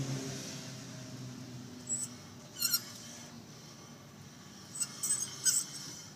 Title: squeaking noise